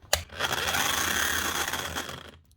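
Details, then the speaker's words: Bosch GSH 5 CE demolition hammer, made June 2024 and only a few months in use, running with a harsh, rough grinding whir over the motor drone: stripped gearbox with sparking, and the armature likely failed as a result. Needs a warranty repair with a new motor. "ain't sounding good. Oh, that's just nasty. So you can hear the problem straight away. There's gears stripped out here, but also a bit of sparking it on down here as well."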